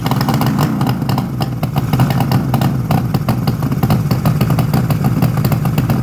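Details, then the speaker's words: 1972 Suzuki GT750J two-stroke water-cooled triple, 35k miles, cold start on choke: busy idle with sharp rapid ticking and spitting puffs; exhaust leaking where crossover pipe has come out of its joint. "if you can see the crossover looks like it's actually come out right there which is probably most of the noise"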